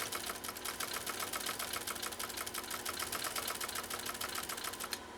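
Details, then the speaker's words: Pfaff 130-6 sewing machine sewing through two layers of leather-vinyl blend: quick, even needle-mechanism ticking at a steady pace, with no straining or slowing. Normal running under load. "we're going through two layers of what is a leather vinyl blend see if you hear the machine straining or struggling or anything like that here we go"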